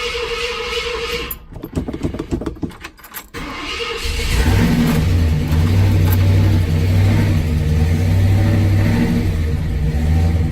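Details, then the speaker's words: 1966 Ford Ranch Wagon cold start after a few pedal pumps, choke not yet warm: starter cranks about two seconds, then it catches and settles into a steady low idle; oil pressure 40–60 at startup. Normal cold start. "a little cold natured at first once the choke kicks in and gets hot, runs like a champ. And that's what usually happens when it's cold like this."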